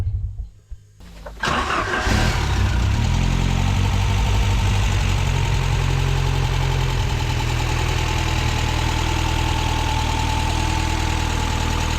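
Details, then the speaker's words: Ford Sierra RS Cosworth, stolen and recovered after sitting hidden in bushes for over 14 years, on its first start; after a short crank it catches and holds a steady idle that sits a little high, over-revving somewhat. "she over reving a bit a she"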